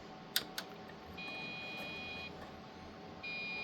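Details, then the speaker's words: Old floppy-era desktop PC at power-on: two clicks, then long high-pitched beeps repeating over a quiet hum, a POST beep code; RAM suspected after reseating it, fault unconfirmed. "But it's beeping. I think that's RAM"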